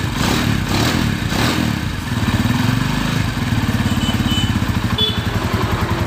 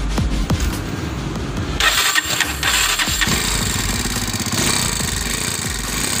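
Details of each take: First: Honda Tiger after repairing a worn-out timing chain tensioner: steady, even single-cylinder beat with no rattle or clatter, timing chain quiet; normal running after the fix. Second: Honda Tiger starting, then a rough metallic chatter over the idle, before repair; the timing chain tensioner no longer presses the chain, and the valves are to be checked too. Timing chain tensioner rattle.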